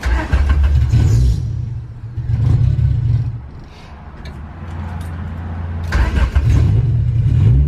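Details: Honda Civic Si EK coupe, B18C1 GSR swap with Precision turbo, stock cams, first start before dyno: engine lopes and stumbles with uneven low pulses between throttle blips, running really rich and "sounds cam"; cause not yet found.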